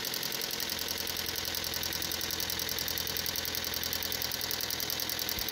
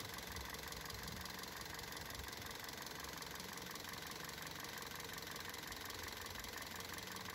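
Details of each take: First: Car running on LPG before replacing the LPG injector and filter: fast light ticking about three or four a second over a thin hissy idle with idle fluctuation, reduced performance and higher consumption; faulty LPG injector clicking. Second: Car running on LPG after replacing LPG injectors and LPG filter to cure idle fluctuation and loud injector noise: steady even idle with only faint light injector ticking; fluctuation gone, running smoothly.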